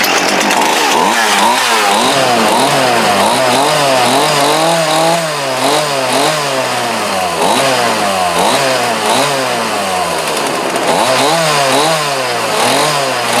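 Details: Homelite D3850B 18-inch chainsaw, after a new carburetor, fuel lines, fuel filter and spark plug, in about 19-degree cold: two-stroke revs rise and fall smoothly about four times a second, crisp with no stumble or bogging; runs great.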